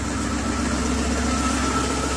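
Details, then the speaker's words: BMW E36 with M50 engine, due for service, fitted last winter with wrong single-electrode spark plugs: steady idle with occasional uneven stumble, clear misfire; fix planned is correct twin-electrode plugs. "But yeah, you can clearly hear there's a mist. You can clearly hear the car has a misfire. So she's not happy."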